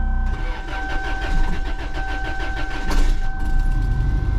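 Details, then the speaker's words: Van, previously very loud; cranks briefly, catches cleanly and settles to a smooth, even, quiet low idle with no knocks or rattles; normal start and idle. "look at that she closed she sounds better than my other van right now but uh I'm taking that because this thing was so loud before it was loud it was nasty nasty loud"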